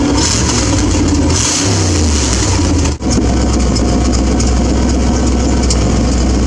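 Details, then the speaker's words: V8 with exhaust partly open and leaking: loud, steady deep beat after brief rev, no knock; knocking sound later thought possibly from wrong clutch disc, rivets chewing flywheel. "I've got the exhaust partially owned a little loud leaks well that sounds good to me"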